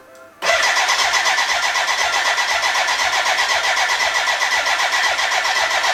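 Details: BMW K100 café racer build, first start attempt with fuel in: starter cranks steadily, even compression beats about four a second, never catches; fuel problem, dry despite being connected to the tank, crank no start.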